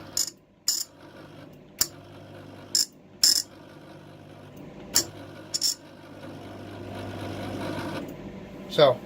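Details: Clarke 151TE Turbo MIG welder: sharp irregular clicks and snaps over a low feed-motor hum; wire feed running rough, owner suspects the tension/roller section, cause not confirmed.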